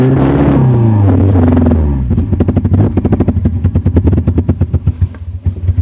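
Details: 2000 Honda CR-V with B20Z engine: uneven idle that stumbles and dies, then a rough restart with ragged, stuttering pulses; misfiring and stalling, cause unknown.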